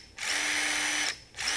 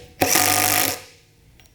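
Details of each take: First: New RIDGID SubCompact drill/impact driver kit running unloaded: a thin steady squeak rides above the motor whine with each trigger pull; cause unclear, possibly a bearing. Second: RIDGID SubCompact drill/driver on a half-charged battery driving 1-5/8 inch drywall screws: three strong, even bursts with a crisp whir as each screw seats; plenty of power.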